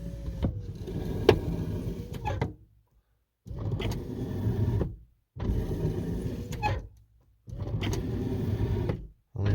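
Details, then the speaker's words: Lincoln Continental front door window after motor torque bushing repair, panel reinstalled: the motor whirs in repeated two-second strokes with a dragging, rasping scrape as the glass travels; more graphite powder in the track is considered. "making a lot of scraping noise there but I might put some more like graphite powder or something like that in there"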